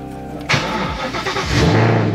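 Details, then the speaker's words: 1989 Mustang LX coupe with twin-turbo Coyote V8, switched from E85 back to pump gas with Volvo fuel pump upgrade, starting for an idle log; catches after short crank, then runs rough and bogs, won't take throttle; tuner to revise. "yeah I cannot get this thing to run guys so I'm going to send that over and hopefully he can figure it out cuz I give it throttle and it does not want to do anything"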